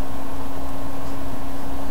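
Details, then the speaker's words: HP DV4/DV6 laptop with overheating issue, stress test pushing CPU from about 51–53°C toward 65°C: constant loud cooling-fan rush with steady low hum, judged to sound pretty bad; loud fan under load. "can you hear it here that doesn't sound good that sounds pretty bad"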